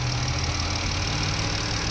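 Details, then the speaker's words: Dodge/Jeep/Chrysler 3.6 V6 after rocker arm, oil cooler, spark plug and coil pack replacement, idling: smooth even hum with no ticking or clacking, no check engine light; engine sounds healthy. "all righty see no ticking sounds good at first it was like but now it's smooth like it's supposed to yeah"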